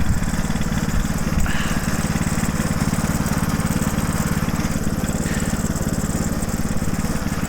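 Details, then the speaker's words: Homemade mini tractor powered by a 6.5 hp Harbor Freight Lifan single-cylinder engine, started on the first pull though sold as a non-runner. It chuffs at a steady, even beat with no misses or knocks; smooth, healthy idle. "First pull, she's a runner."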